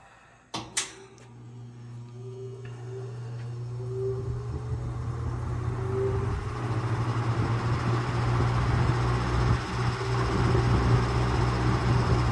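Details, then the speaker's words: Early-1950s Lasko-made Jet 20-inch box fan starting on high: a click, then a steady low drone with an uneven fluttering rattle; owner thinks it is bearing/rotor alignment, not the windings, with possibly worn fiber washers or bearings. "like always it still has that funky motor sound to it"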